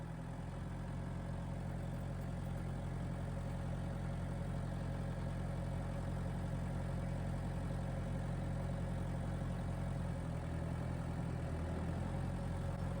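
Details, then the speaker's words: Tractor diesel with PTO just engaged, before being raised to 2,500 rpm rated speed, canopy removed, tripod microphone: steady drone at a raised, even speed with driveline hum, no knocks or strain; normal PTO operation. "right, PTO's running. We're going to crank it up to 2,500 RPM, which is rated engine speed."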